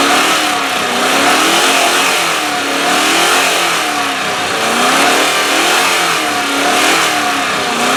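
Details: 1997 Land Rover Discovery 1 restarted after sitting, low on oil and topped up, front crankshaft oil seal leaking heavily: the engine rises and falls smoothly through repeated blips about every two seconds with no knocks, normal revving.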